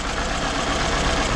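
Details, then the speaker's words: 2012 Scion xB 2AZ engine, original motor at idle during a coil-disconnect test: rough, uneven stumbling beat; unplugging coil 2 changes the idle but coil 1 does nothing, so cylinder 1 is dead from low compression. "so number two there is a difference when I disconnect it I'm going to plug it back on now I'm going to do number one number one didn't do any it didn't do anything"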